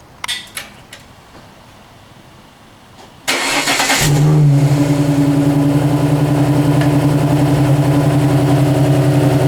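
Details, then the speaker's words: Alfa Romeo GTV 916 3.0 V6 24v, engine just refitted after clutch, timing belt and sump gasket seal (oil leak fixed): starter whirs briefly, engine catches with a quick rev and settles to a smooth, even idle. "We removed the sump, changed a seal in the gasket, oil leak sorted. Now just I'm going to show you how this beast sounds like."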